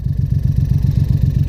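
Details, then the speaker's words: VW Up TSI with 3rd-cylinder fault, only two cylinders firing: heavy, lumpy low thud pulsing about ten times a second with no smooth hum, near stalling; engine running on two cylinders. "vamos lá vou mostrar lhe ó tá em dois cilindros aí ó essa bobeira tirar o carro vai morrer agora"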